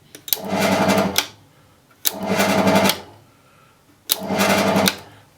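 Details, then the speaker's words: Silca GT40 key cutting machine switched on briefly after replacing the drive belts, cutting wheel and buffing wheel. Three short runs spinning up to a smooth, steady whirr and winding down cleanly; both wheels turn the right direction. "so the buffing wheel and the cutting wheel are spinning in the right direction, so that's good."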